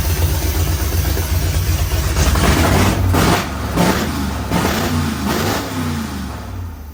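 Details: 1973 Plymouth Road Runner, original 318 V8 with new Aces Killshot EFI, first start before self-learn, open headers no mufflers: loud throaty idle then several sharp clean blips; runs strong.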